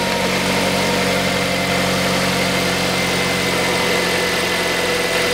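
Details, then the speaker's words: 2006 Mazda 3 1.6, after replacing the drive belt (AVANTECH 6PK2010), idler (GATES T36418) and tensioner pulley (GMB GTA0490): a steady idle with a smooth belt hum and no rumble, chirp or clicking. Normal idle with a healthy belt drive. "И все. Рокота и цокотания с роликов нет."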